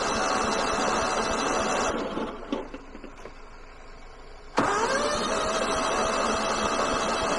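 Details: Kohler 15 hp engine on a Husqvarna lawn tractor, cranking on car-charged battery: steady cranking about three and a half turns a second, pause, then cranking with sharp intake pops, won't fire; suspected bent or broken valve, not confirmed.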